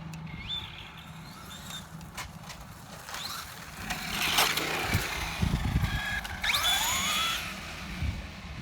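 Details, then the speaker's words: Traxxas Slash 4x4 VXL brushless RC truck, over five years old, slipper clutch loosened: quiet rising whirring chirps under full acceleration with little pull, no longer wheelies; slipper clutch slipping too much, owner wants it tightened. "i can tell under full acceleration you can hear it slipping still really fast but uh that slipper is definitely slipping"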